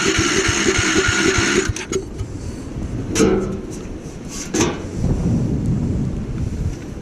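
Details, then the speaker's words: Gravely Commercial 12 34" snow blower, cold, after carb cleaner is sprayed into the intake: quick ragged firing for a second or two, then it dies, leaving only stray clatter. Hard starting from fuel starvation due to a shrunken fuel line at the carburettor. "whoa the fuel line on the car is like totally just shrunk it's like I doubt that gas could even get in this thing"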